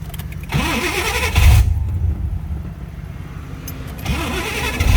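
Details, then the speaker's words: Foxbody Mustang, first start in 18 years after harness swap: harsh booming rasp and unmuffled bark on each rev, loud because the wastegate port is open and needs welding at an exhaust shop; loud exhaust from open wastegate port. "wow that sounds pretty amazing if you ask me uh i'm loving it the reason it's so loud is skate down there right now i got to bring it to the exhaust shop to get that uh welded on"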